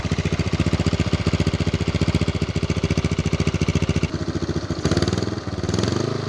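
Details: Used, neglected Yamaha Mio scooter, single-cylinder: even, fairly rapid thumping idle with a couple of light blips and strong vibration; engine judged in good condition.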